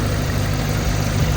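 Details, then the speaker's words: Jeep engine idling warm at operating temperature, over 40 PSI oil pressure, after 5+ minutes running with engine restore additive added; previous ticking/knocking gone, steady low hum: normal idle. "it has been running for over 5 minutes I don't hear the knocking the knocking noise or the paning noise whatever it was doing"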